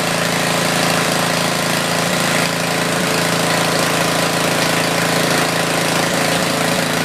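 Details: Tecumseh 4,000 W generator with 8 hp engine, sat about a year, on choke carrying a small drill load during a metered power-output check; steady, even mid-pitched drone holding speed, no hunting or misses. Normal running under load.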